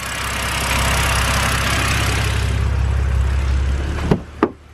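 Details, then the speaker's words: BMW N52 engine, rough idle, with mass airflow sensor disconnected after cleaning and reinstalling: even steady idle for four seconds, no stumble, then shutdown clicks; smooth idle, rough idle returns when plugged in, MAF found at fault. "so i'm going to go ahead and disconnect the mass sensor and it seems to be all right"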